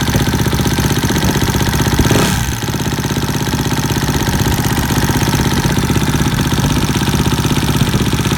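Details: 2012 Suzuki RM-Z250 at idle. A steady fast tick, about four per second, rides over the lumpy single-cylinder idle; the cause is not yet known.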